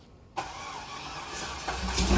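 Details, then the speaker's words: LS engine with JB Weld in place of the head gasket, on the starter: spins fast and even without compression beats, no compression because the JB Weld head-gasket seal failed and leaked. "I mean you could hear he didn't have compression the moment I even hit the starter she was leaking spinning too easy"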